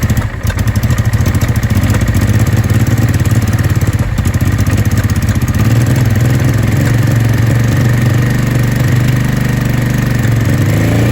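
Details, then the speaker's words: Honda Deauville NT650V5 V-twin after new spark plug caps, cleaned plugs, new battery and fuel confirmed in both float bowls: fast, lumpy, idling too fast with irregular pops; still popping and backfiring, timing still needs adjustment. "It's still popping and backfiring, but we'll see what happens."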